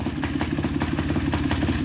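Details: Polaris two-stroke ATV on its third heat cycle of break-in, recorded outside: a loud, fast, rattly idle that holds steady with no misses or surging, smoky from premix plus oil injection (double oil); normal running.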